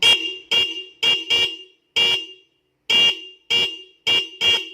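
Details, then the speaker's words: Motorcycle stock horn rewired to a stereo dual-horn setup with an added horn, like an Avanza horn: sharp, loud blasts, some doubled, a bright high note over a lower one; normal dual horn. "Mantep kan suaranya, bro? Kayak ya mirip Avanza KW gitu, maksudnya seklaksonnya klakson KW, bukan Avanza-nya yang KW."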